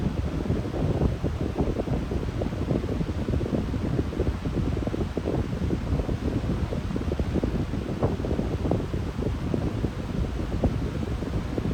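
Steady airy rush, even throughout, with no tonal hum or whine over it; the motor's usual medium-speed hum is absent.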